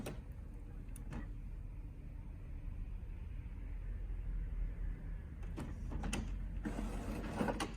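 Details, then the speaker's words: HP OfficeJet Pro 8100 printer, level 1 head cleaning (power held, X twice, paper once), used when print colour is abnormal; button blinks while running: quiet irregular whirring, soft clicks and short motor runs; normal printhead cleaning cycle. "When head cleaning starts, you'll hear this sound, and the button will blink too. And wait. If the sound stops and the blink stops, proceed to step 2."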